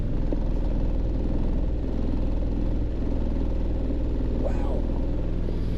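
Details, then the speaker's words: Ford Explorer idling with a deep, uneven low rumble pulsing slightly under twice a second and no misfire felt. Engine vibration at idle; the owner suspects a crankshaft-type issue or something hitting when in gear, possibly a motor mount. "Goodness gracious. That sounds like feels like an engine vibration, like crankshaft type of deal. Let's see what it does. Wow. I don't feel any misfires."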